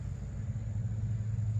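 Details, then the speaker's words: 1981 Jeep CJ7 started after sitting over 12 years: low, uneven idle rumble with a soft puffing pulse; exhaust leak seen at a pipe junction, to be tightened. "kind of sounds like it has an exhaust thing too up here yeah I can see it down by the little Junction right there it's got an exhaust leak so we'll probably try to crank down on that and fix that"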